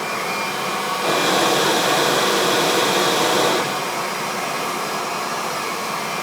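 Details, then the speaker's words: Kirby vacuum airflow test, head run over an edge: steady motor roar that jumps louder and rougher for a couple of seconds as the airflow changes, then settles; the change is airflow being heard, showing strong, healthy suction. "it's the same difference your vacuum cleaner this Kirby is still making the same change that's airflow you're hearing"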